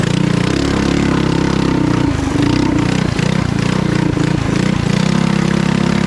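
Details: Trail Master MB200 mini bike with stage 3 223cc engine, after swapping rubber engine-cradle bushings for metal ones: steady single-cylinder drone under power with short throttle dips, no chain skipping or clacking; chain drive sounds normal.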